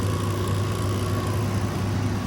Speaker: Motor sounds fine. Doesn't sound like it has any bad bearings.